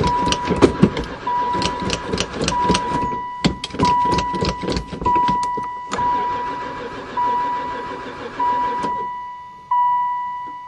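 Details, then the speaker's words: 2002 van sat for four years, crank with fresh gas poured in: starter churns in repeated long bursts with a warning chime, never fires; lack of spark suspected. "I wonder if it's got any Spark [Music] don't seem like it never fired [Music] once"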